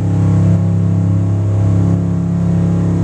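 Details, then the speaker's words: Boat engine revved to 4,000 rpm at the dock, engine compartment closed: deep steady drone held at high revs with no knocking, misses or rough spots; runs clean. "just in case you want to hear it scream that'll give you a good idea let's push it up to 4,000"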